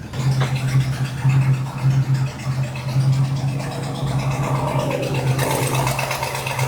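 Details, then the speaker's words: Jensen with Chrysler 440 big-block V8, idling: deep lumpy idle with a rough puffing edge to the exhaust, suggesting a small exhaust leak. "so that's an American Chrysler 440 V8 a little bit of an exhaust leak there you got to get that addressed just makees it sound more aggressive"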